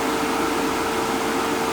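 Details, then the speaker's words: Fieldpiece MR45 recovery machine after oil maintenance (previously noisy from wet refrigerant), pulling down with a finger over the inlet; even, steady mid-pitched drone with no knocking or rattle, sounds healthy. "Sucking right on down. A little maintenance goes a long ways."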